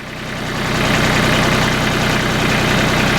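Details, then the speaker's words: 2013 Mahindra MAX 22 HST tractor, Mitsubishi 3-cylinder diesel, after fuel filter replacement and glow plug start; even diesel clatter settles into steady idle with no hunting or stumbling, no air in the injection pump. Normal diesel idle. "There is no hesitation in the idle, so we didn't put any air in the injection pump. That's excellent."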